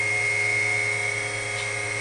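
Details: WWII RT-7/APN-1 radar altimeter running in lab, current about 2.5 A, reading about 125 ft: clean steady high-pitched dynamotor whine at constant speed, no roughness or wavering. Normal dynamotor whine.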